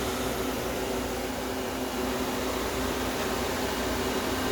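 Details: Compressor on a homemade air-conditioning system, first start-up, run as a regular medium-temperature AC with the clogged solenoid valve removed: steady, smooth hum with a constant airy hiss, no knocking or rattling. Compressor running normally.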